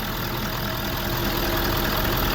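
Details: 2013 Ford 6.7 Powerstroke diesel after exhaust manifold and turbo replacement (complaint was a squeal under heavy throttle, suspected manifold): steady, even idle under a fair hiss, no ticking or puffing at the manifold; runs healthy, normal idle.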